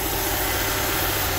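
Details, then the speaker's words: Honda Civic EK VTi sedan with D16Y5 VTEC engine and CVT, just started on a cold day with an extra battery: small petrol engine idling smoothly with a steady airy hiss over the rumble; vacuum leak suspected, not confirmed. "you can hear it running pretty smooth but there's definitely a vacuum leak so that's going to be a bit of a troubleshooting for class"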